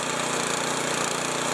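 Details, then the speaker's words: Snow blower with electric start, choke used, running after reassembly with a new muffler assembly replacing an eight-year-old one; fast, even single-cylinder buzz with no misfires or rattles, much quieter than before; normal running. "what you guys probably can't tell but I tell you that's a lot quieter than it was before"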